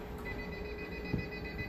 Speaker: Now you'll hear that APC beeping there, and that just means that it's drawing more current than the battery will allow.